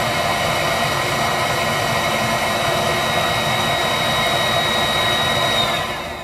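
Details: Viessmann Vitodens 200-W WB2B35 condensing boiler, about 5 years in service, in its intermittent hung failure state with no fault code: steady fan hiss and thin high whistle with no burner roar, then the hum winds down; the circulator pump keeps running and the burner never lights. Cause unknown.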